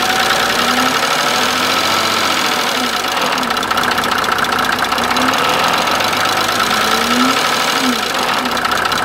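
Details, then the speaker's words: Mercedes OM603 diesel, cold idle, after oil, filters and fuel purge: steady fast tick-knock over diesel clatter, unchanged; cause not yet found, seems to change between cold and hot. "and that clicking ticking or knocking sound Remains the Same before I will start it up and we will together listening to that uh noise"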